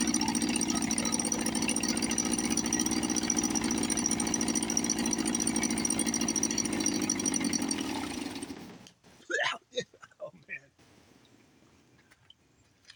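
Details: 1954 Johnson 5.5 HP outboard, probably not run since the 1960s, first start on choke after carburetor rebuild. Raspy, buzzy two-stroke note holds fairly even for about eight seconds, then dies away. Normal running.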